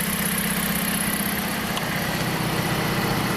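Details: 2007 Jeep Compass four-cylinder with an intermittent cylinder 1 misfire (P0301, P2302 coil 1 ionization current), traced to the coil 1 harness. After the soldered harness repair it has a smooth, even idle with no stumble and no codes.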